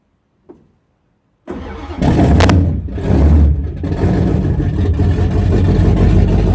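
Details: 1974 Chrysler Newport with a slightly tuned 440 V8, first start after a rebuild with new bearings, open headers, phone-recorded: it cranks and catches at once, blips loudly, then settles into an even healthy idle.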